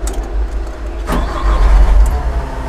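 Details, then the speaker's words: Magni telehandler with a Euro 3 diesel: cranks and catches within a second, then settles into a steady low rumble with no knocks or rough running. Described as not very noisy, with no vibration; a normal start. "harus segera bakal berisik banget dan gak ada getarannya sama sekali loh ini sudah euro3"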